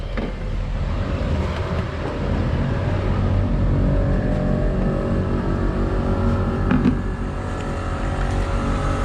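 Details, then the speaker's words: Horn Blasters Conductor's Special 844 Nightmare Edition kit, dual compressors filling 8-gallon tank with truck running, heard from outside: even, steady hum over low engine drone, no knocking or rattling; compressors quiet and working normally. "These compressors are not loud at all. They're super quiet. They're super quiet."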